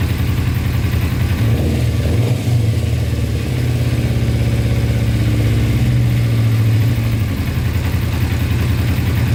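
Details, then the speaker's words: 2000 Kawasaki Ninja 250 with Yoshimura pipes, after idle turned up, choke fully off: steady even low putter, no knocks, misses or hunting; normal idle. "So everything officially works on it. Wow, that sounds really good."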